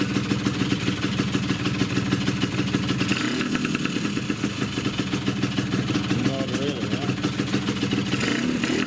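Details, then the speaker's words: Two-stroke scooter with Polini 177 cylinder, Malossi 360 reed manifold and original Malossi reeds, PHBH 30 carb and Megadella V5 exhaust, on its first start: an uneven, raspy beat at steady revs with a loud hollow intake bark, the normal reed valve noise. "Wow this is loud that's why I don't like read whales"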